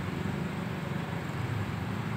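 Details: Honda Vario Techno / Beat automatic scooter, crankshaft bent from hammering on the left-side drive/roller housing: low, quiet idle with a faintly uneven, pulsing drone from the wobbling crank; fix is straightening at a shop or replacement.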